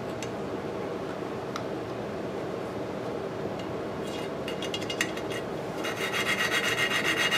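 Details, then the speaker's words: Lapping the exhaust valve on an antique Briggs & Stratton 5S engine with coarse compound, seat initially poor: gritty back-and-forth rasp, about four strokes a second, sharpening toward the end as compound cuts; sound smooths. "If you hear it cutting, what we want to do, our goal is to get like a grayish line right around the bottom of that. You can hear how it gets, the sound gets smoother."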